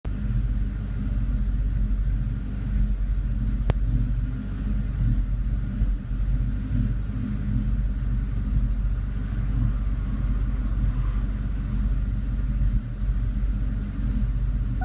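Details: 2002 Mustang GT V8 at idle, or holding rpm with no load: deep, slightly uneven rumble that stumbles now and then; the car runs perfectly once driving. Idle misfire, owner suspects some kind of leak.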